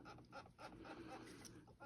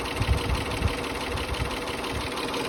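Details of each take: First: OEM water pump off a 2004 Mitsubishi Galant 3.8L V6 6G75 non-MIVEC at 180,000 miles, removed, drained and turned by hand: short bird-like squeaks about three a second from a worn bearing; the pump had been leaking coolant. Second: 2004 Mitsubishi Galant 3.8L V6 (6G75 non-MIVEC) after water pump and timing belt replacement: the engine idles steadily with an even, unhurried beat and no knocks or squeals, a healthy idle.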